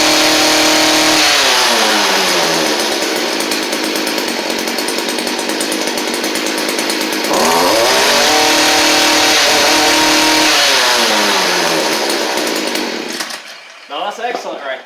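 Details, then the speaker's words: Stihl string trimmer after fitting a Hipa replacement carburetor: high two-stroke buzz revs up and holds, drops and picks up without bogging; previously bogged on throttle, new carb fixed it. "So, uh, that fixed it. It was bogging down whenever you tried to give it gas beforehand."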